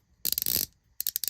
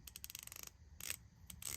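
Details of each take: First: Asian knockoff palm ratchet, unlubricated, for comparison with a greased one: sharp, uneven clicking that catches and stalls; sounds dry, not smooth, grabs and pulls, needs wearing in with lubrication. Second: Palm-grip hand ratchet after cleaning, polishing, oiling and greasing: quick runs of fine, even, crisp clicks with no grinding or catching; about the smoothest ratcheting mechanism the owner has, smooth well-lubricated ratchet action.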